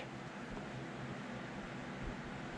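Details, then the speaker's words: Yong Heng compressor station build, testing: only a soft steady hiss with faint low hum, no knocks or rattles; cooling pump running quietly and normally. "you can't even hardly hear it man it's that quiet but it's working though"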